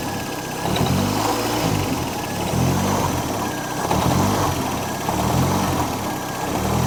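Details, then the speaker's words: Model A coupe hot rod, long stored, on a tired engine with about 20 oil pressure, loose motor mount, loose alternator and flopping belt: revs up and down with a loose rattle right as the throttle closes; source unknown. "it's like a rattle right when you get off"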